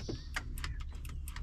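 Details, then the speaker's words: Massey Ferguson 5460 loader tractor, Dyna 4 T-bar shifter cover off for repair: crisp click each time the lever moves forward or back, over a low rumble, from the spring-loaded forward and reverse switches; normal shuttle switch click. "Well, that little click is coming from this little guy here, and there's 2 of them. There's a forward one and a reverse. Just basically a little switch on a spring."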